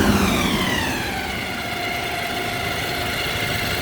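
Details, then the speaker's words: 2007 Toyota 2.7 engine after reinstall, idling and revved: thin, high whistle-like whine whose pitch falls with revs. It persists with the drive belt removed and is loudest around the oil filter housing, but the filter was ruled out. Suspected internal engine whine, source unconfirmed. "Listen to this high frequency whine. It's not in the drive belt area. I took the drive belt completely off. It's something internal in the engine."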